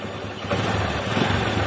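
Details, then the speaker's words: Honda Supra 125 cam chain tensioner gone soft, spring possibly worn or near breaking: busy metallic cam chain clatter that swells as revs rise and returns after the tensioner is pushed in with a screwdriver. "Bunyi itu akan kembali dengan sendirinya dan menjadi berisik lagi seperti sebelumnya."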